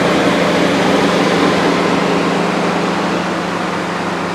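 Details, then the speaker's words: V6 at auction, 89,000 miles, max AC on: steady loud rushing whoosh over a smooth idle, sounding like a high idle but suspected to be the cooling fans running. "this little V6 seems to be idling very high it sounds like it but those are the fans that are actually on"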